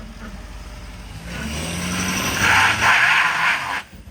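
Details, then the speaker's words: Ford 6.7 Powerstroke diesel single-cab truck, bought damaged: engine pulls harder and a faint high whistle climbs as load builds; turbo spooling and building boost normally. "Dude, she's building boost. You hear that?"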